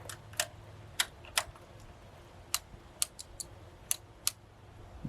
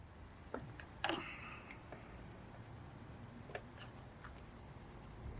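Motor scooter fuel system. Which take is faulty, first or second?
first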